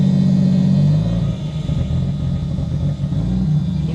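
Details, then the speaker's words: Mk3 Supra on a new trigger kit, not yet tuned, after a fuel pump fuse swap: engine drops and stumbles, then runs uneven and lumpy, unhappy with throttle input, hesitating and bogging; ECU table changes planned, cause not confirmed. "at the throttle so look at the throttle input it's not happy"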